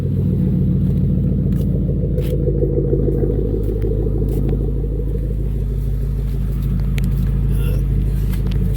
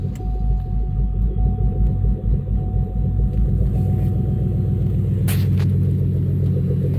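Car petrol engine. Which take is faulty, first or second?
second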